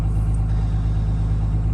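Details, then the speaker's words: Diesel truck at high idle during cold warm-up at 27°F: steady, even low rumble with no knocks or misses; running nicely, healthy warm-up. "so on a day like this it's probably gonna take a good three or four minutes five minutes of high idle like this"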